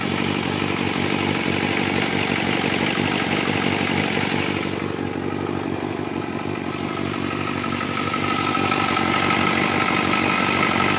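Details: 2004 Suzuki GSX-R 600, cold start idle in Arizona: steady idle with light ticking about four per second; owner suspects cam chain tensioner needs replacing, unconfirmed.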